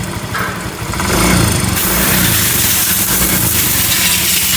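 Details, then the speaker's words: Yamaha Mio M3 scooter engine, warmed up, revving from idle: rough, rattly ticking that gets louder as throttle opens and is barely heard when cold; engine ticking noise, cause suspected, not confirmed. "suara kasar ya saat udah agak panas suara kasar ngelitik ya teman kita dengar dulu ya suaranya kasarnya seperti ini ya"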